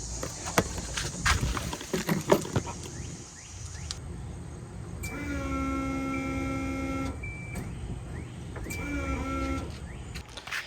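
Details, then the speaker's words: Turbo Volvo 240 being revived, 5 gallons of fuel added: short bursts of steady electric whine as the fuel pump primes, two seconds then about one; the pump runs but fuel isn't reaching the engine. "You know, I did put 5 gallons of fuel in this thing, but apparently we have a problem elsewhere. Where could the fuel be? This turned into an episode of Guess What's Wrong Now. The fuel pump is definitely priming."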